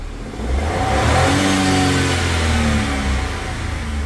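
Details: Suzuki Karimun Wagon R with double Blackcore, after Blackcore cleaning and combustion-chamber cleaning: engine revs up quickly and smoothly, holds even rising pitch, no misfire or stumble; normal free revving, idle about 700 rpm afterward.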